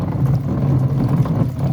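Deep, steady low rumble throughout the wash with no clear knock or rhythm; washer is rumbling, cause not yet pinned down.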